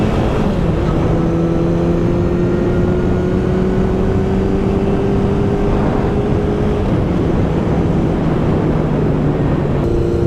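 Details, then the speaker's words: 1972 Honda CB750 on a test ride after cleaning contacts: steady four-cylinder note climbing smoothly through the gears over road and wind noise, no stumbles or cutting out. "So far, this thing's doing a whole lot better. Which is promising."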